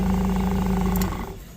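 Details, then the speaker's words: Toyota 8FGU25 LP forklift with the oil pressure warning light on: brief, smooth, steady idle hum with no knock or tick before shutdown; the engine sounds healthy, so an oil pressure switch replacement is planned. "your oil pressure light. So, check the oil. Motor sounds fine."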